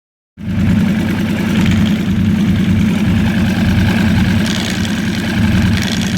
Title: Yamaha R1 rattle noise